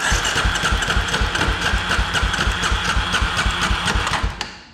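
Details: 2003 Polaris Predator 500 cranking during a compression test, which read a good 130 twice: fast rhythmic chuffing about four beats a second that stops abruptly. It idles fine but acts up in mid-range; owner suspects spark cutting out. Noisy cranking.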